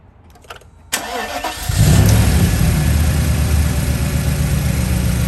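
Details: 1995 Mercedes S500 (W140) at idle before spark plug change, spark confirmed on all plug wires: starts and settles to low idle with faintly uneven, stumbling beat; slight engine misfire, plugs suspected.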